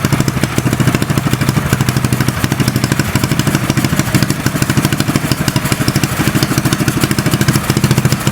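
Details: Custom mini bike trike small single-cylinder engine warming up without choke: crisp even putter about three firings per second; healthy idle.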